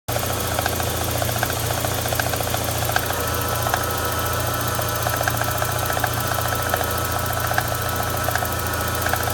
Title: MK1 Cabby Odd Tapping noise